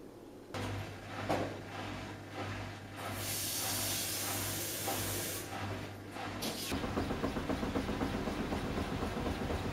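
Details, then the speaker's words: Washing machine spinning a load of trainers at the lower selected 400 RPM: a hiss gives way to soft, regular thumping about four beats a second, with less noise and banging than at higher speed. Gentle low-speed spin with only mild knocking from the load. "So as you can hear there, the spin was lower at 400 RPM, and as you can hear there was less noise, less banging on the lower 400 RPM selected."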